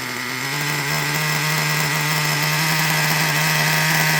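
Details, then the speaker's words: Traxxas Revo 3.3 nitro engine idling high with a thin, raspy, steady buzz and no drop-off; running too lean, not getting enough fuel. "Now, if your truck is idling kind of high, like almost like it sounds like this, let me try to find it. Like if your car is running like this, it's too lean."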